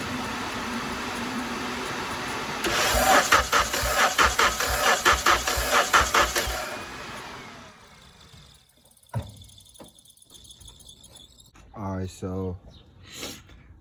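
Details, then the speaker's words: 1991 Honda CRX/EF with K-series swap, cranking steadily about once per second with no firing; no spark; main relay had been removed by previous owner. "so I figured out the last owner told me he had taken out the main relay for the driver's side"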